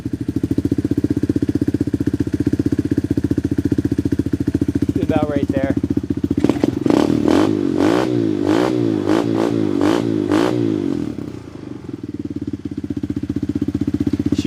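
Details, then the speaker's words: Tao Tao Coleman 125 ATV, still cold, new small exhaust silencer, idle RPM raised slightly; steady single-cylinder putter, brief blip then settles back to even idle, normal cold idle. "So, that sounds pretty good. I like that little that little silencer on there. Bring the RPMs actually up a little bit. She's still cold."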